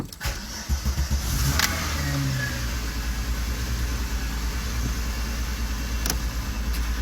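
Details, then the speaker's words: VR6 Golf test drive after fixing a driveline failure (clunking and loss of drive on a 4th-to-5th shift) with new bolts and Loctite: steady engine drone and road rumble on acceleration, no clunks or knocks; the noise is gone, normal drive. "noise is gone. So we shimmy around the road. We can drive now. Say it was fixed."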